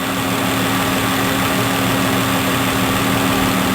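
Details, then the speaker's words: 2015 Dodge Grand Caravan after oil pressure sensor replacement (no-start complaint): smooth, steady idle with a constant mid-pitched hum and no knocks, ticks or wavering; successful repair, may take 10 to 15 drive cycles to fully relearn. "It's going to have a nice smooth idle, and you'll see the shape just go away."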